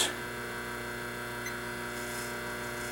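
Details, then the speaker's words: 1976 General Electric Q174461 washer motor, 1/2 hp, 1725 rpm, running unloaded on the bench at 7.1 A, 118-119 V, about 215 W, 847 VA: steady, even hum with smooth high whir, no rubbing, knocking or grinding; healthy. "the volt ampers is way higher than the number of watts because it's just sitting here idling"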